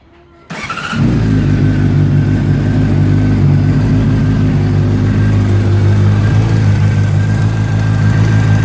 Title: 2009 CBR600RR exhaust leak